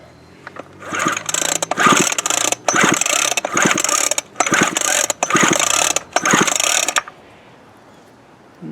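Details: Craftsman 24cc 17-inch string trimmer with previously broken fuel lines and primer bulb, plug wet with fuel: six quick rasping pull-cord bursts of about half a second, silence after each, never catches; cranks but won't start, owner unsure of spark.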